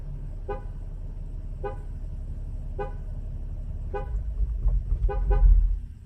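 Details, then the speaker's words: Mercedes ML W166 with StarLine S9 V2 alarm: control unit beeps three times awaiting code, badge or phone; unrecognised start triggers horn tooting about once a second, engine starts then immobilizer cuts it. "voilà l'alarme se clanche si j'essaie de démarrer le moteur le moteur démarre mais il va se"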